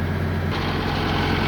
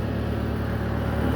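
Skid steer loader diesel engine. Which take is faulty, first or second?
second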